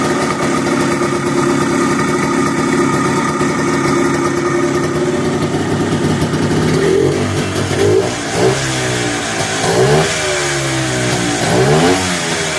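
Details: 1973 Arctic Cat Lynx with Kawasaki 292cc two-stroke after clutch tuning with new face, slanted pucks and white spring of 99 lb engagement pressure: steady idle buzz, then quick even rev blips pulling cleanly; normal running.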